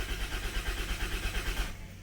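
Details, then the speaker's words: Unidentified Dodge/Plymouth minivan from a 1990–1993 Caravan/Grand Voyager fleet, after sitting: steady rapid starter churning, no catch, for under two seconds; fuel pump heard and oil pressure building, but no spark or tach reading, so the owner suspects a lost crank sensor. "It's like we have no spark. I know it would crank for a while when it sits, but like this is excessive. Oil pressure building. I can hear the fuel pump. It's got fuel."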